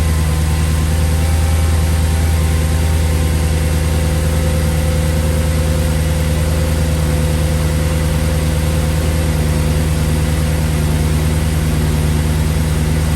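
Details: 2008 Audi S5 4.2 V8 with JHM race pipes and tune, after new spark plugs, new ignition coils and a MAF cleaning, recorded with the camera in front of the engine: a smooth, steady low idle with no ticks, knocks or stumbles.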